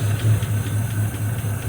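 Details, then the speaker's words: 1953 Buick Special first start since 1992 after 20-plus years in storage, run on outside throttle: low, steady, even idle with no knocks or ticks; engine sounds healthy and smooth. "i'd say she sounded pretty darn good"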